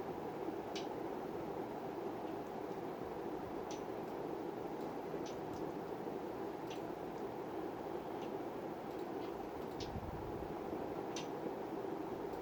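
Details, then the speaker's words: Vintage Montgomery Ward (Evergo) Bananafan ceiling fan model E-8C 42274, on variable speed control at about 29 W: steady whoosh with scattered ticks and a dry, pebbly, grinding rattle. Sounds like dry bearings, still spinning freely; owner might try oiling them before replacing. "You can start to hear it now. Yep, and I'm feeling it, feeling all the pebbly sound. Look, it's a bunch of, like it's grinding against stones in there."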